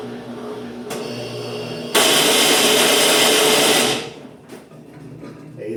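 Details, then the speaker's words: Brastemp washing machine making a rubbing noise when switched on; motor hum, then a loud hissing scrape for about two seconds from a loose belt, which the owner thinks just needs tightening at the pulley. "pessoal já até descobri aqui ó tá solto aqui ó eu acho que é só aperto geralmente essa poia aqui que dá problema"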